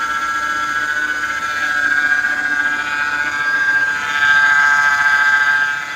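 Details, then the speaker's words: Mercedes-Benz R-Class (W251) with engine running: steady high-pitched howl swelling slightly with revs, power steering pump whining from low power steering fluid; top up before worse damage. "apabila menemukan suara yang terdengar mengaung pada mesin yang ternyata penyebabnya berasal dari kurangnya minyak power steering"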